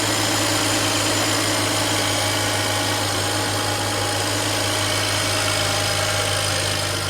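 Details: BMW E92 335i N54 after coolant change to blue and welding repair of the cracked power steering pump bracket: a steady, even idle with a constant hum and no misses, knocks or squeals; healthy.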